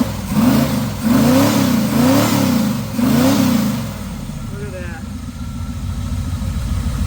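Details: 1979 Pontiac Trans Am V8 after tune-up, vacuum advance moved from ported to manifold vacuum to cure a throttle bog: three quick blips rise and fall sharply with no bog or hesitation, then settle to steady idle; crisp, clean throttle response.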